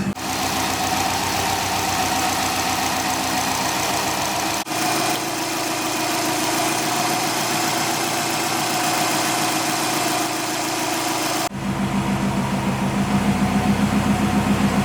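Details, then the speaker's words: Subaru STI started after sitting four months in winter, fast cold idle near 1600 rpm settling slightly; even, steady beat, no knock; normal fast cold idle. "so i just went through i checked over everything everything is looking good our oil pressure is back down to normal idle because our idle is back down to right around 500"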